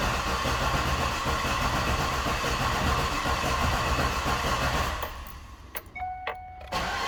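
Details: Cadillac Escalade, believed to be a 2010, after engine replacement: quick, even cranking that never catches, then stops, followed by a dash chime; cranks but won't fire, fuel pump not heard running, fuel pump control module suspected.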